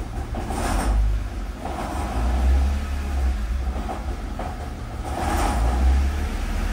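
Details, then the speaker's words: Car idling in neutral with the clutch released gives a deep, uneven rumble that swells and fades and stops when the clutch is pressed; owner suspects the transmission input side rather than the engine, cause not confirmed. "I really don't know when you do clutch it it goes away so that's why I don't think it's engine"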